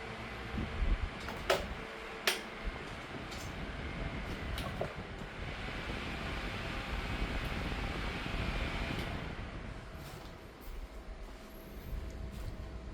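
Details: 2007 Holmes 12-inch desk fan HDF-1209, cleaned and serviced, facing the camera: steady, even whoosh with no rubbing or rattle, only a few handling clicks; bearings were free and it spins smoothly; normal running.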